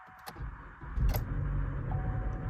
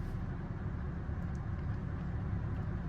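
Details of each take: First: Chevy Cruze after timing chain work, codes for multiple misfire and evap flow: rough uneven cold-start misfire then steady idle; low oil pressure warning shown; cause found as a loose spark plug and faulty purge valve. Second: Chevy Cruze after timing chain work, fixed faulty purge valve and loose spark plug, restarted after sitting overnight: low steady idle with an even beat, no stumbles or misfire; brief low oil pressure warning on cold start.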